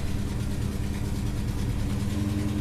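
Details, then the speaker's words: Holden HK first start after work: loud, rough idle with a deep blatting exhaust note from a leaking exhaust manifold; engine otherwise sounds nice. "Sounds like a pub truck. Well, she sounds, apart from that exhaust leak, she sounds really, really nice."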